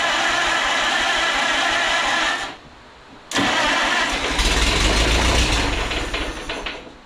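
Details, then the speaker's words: Rebuilt Minneapolis Moline RTE tractor engine: catches, dies, restarts and surges unevenly before fading; rough, starving running, owner suspects fuel not getting through and plans to rebuild the carburetor. "Yeah, it's gas related. Not getting gas. That doesn't sound good."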